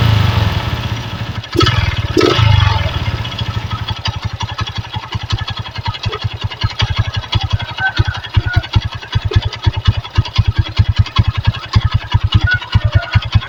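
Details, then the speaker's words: Honda Megapro Primus single-cylinder at low idle after carb service, with the air filter refitted without its foam and the stock CDI reinstalled: a fairly steady thump with an odd uneven beat. The stuttering is largely gone and charging is normal. "Oke sudah lumayan lebih baik ini daripada yang awal Ya sudah enggak begitu berebet"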